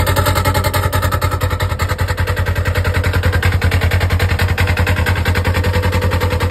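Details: Polaris RZR (296564), engine idling in park with CVT cover on: hard, even clatter about twice a second from the belt drive; CVT noise, cause not pinned down.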